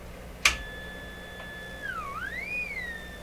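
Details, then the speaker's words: Hammarlund SP-600 during 455 kHz IF alignment with the BFO switched on and an unmodulated carrier. A steady high whistle slides as it's tuned; the BFO is far off zero beat and L44 needs adjustment. "Wow, it's way off here. Okay, we shouldn't have any tone there."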